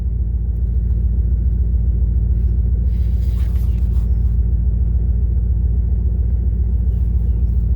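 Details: 1998 Dodge Durango single-cam V8 at about 285,772 miles, warm idle at operating temperature after timing chain, coolant, oil and filter replacement for a P0300 misfire. The rumble is smooth, even and low with a steady beat and no ticks, knocks or stumbles, and sounds healthy.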